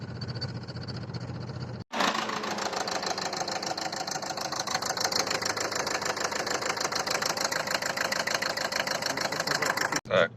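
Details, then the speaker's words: Renault Megane 3 diesel while driving, error light on, child seat shaking, can't give more throttle; rough running with uneven thump about three times a second over the clatter; third injector failed. "їду і мотором прям в штиліпає от зараз дьоргається все ззаду крісло дитяча трясеться не можу сильніше та газу дати просто починає гупати"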